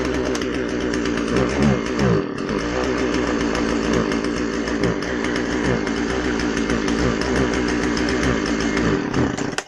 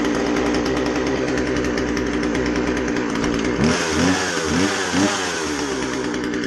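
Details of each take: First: Husqvarna 136 chainsaw two-stroke after carburetor rebuild, test run: buzzes high and busy, brief dip near two seconds, then dies; won't idle on its own, low-speed jet mixture still needs adjusting. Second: Husqvarna 136 chainsaw after carb rebuild (it wouldn't start or run well; rotten fuel line let dirt in), high-speed jet set slightly rich: high steady buzz with crisp throttle blips rising and falling cleanly; normal running.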